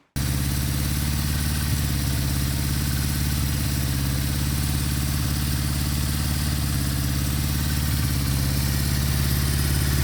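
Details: 1974 Honda CB550 after static timing, cam chain and valve adjustment and carburetor synchronization; steady even low idle with a smooth regular beat, no misses or hunting; normal idle.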